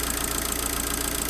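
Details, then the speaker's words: Abarth 500 after a thicker replacement auxiliary belt was fitted, running with the alternator removed: quiet, even idle with a light hiss and no squeal or slap, much quieter than before. Noise traced to the old belt. Normal idle. "still positive it's sorted wow so it's loads quite a loads quieter"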